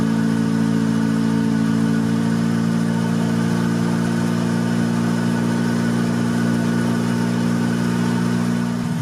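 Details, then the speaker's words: 1990 Honda Civic B20B after Crower camshaft install and valve adjustment: smooth steady idle with even beat and no ticking or tapping from the top end; earlier noise gone after fixing the bolts. "I see that noise is gone because of bolts are no longer potentially thinking"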